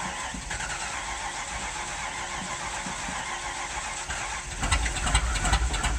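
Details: Original one-owner 1969 Ford Mustang Mach 1 with a leaking fuel tank, running after being backed off the trailer: rough, busy V8 rumble holds steady, then swells with throttle near the end; old engine keeps running.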